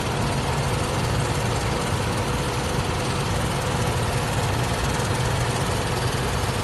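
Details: Nissan Z32 300ZX at idle after a timing belt replacement: continuous very light even grinding, only at idle and unchanged with acceleration; began after hard acceleration as pulsating rubbery sound; cause was a loose timing cover bolt bushing.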